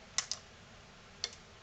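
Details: NAD C370 amplifier with delayed, chattering speaker output relays, after resoldering protection module joints: two quick relay clicks then a third as it drops out; power light goes red, no processor control of relays; relay clicks on then drops out.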